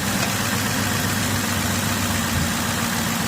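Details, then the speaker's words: 2007 Cadillac DTS, started after water pump pulley replacement: idle has an uneven, stumbling pulse over a steady low drone with missing beats; misfire, owner suspects a mildly blown head gasket. "The misfire ain't a good sign. Seems like the head gasket may have mildly been blown."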